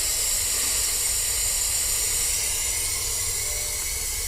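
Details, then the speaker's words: Steady high-pitched air hiss leaking out of a Cummins ISM fan clutch during a shop-air test through its quarter-inch tubing, over faint engine rumble; it should hold back pressure, so a fault is suspected but not yet found. "as you can probably hear it's still leaking out of there"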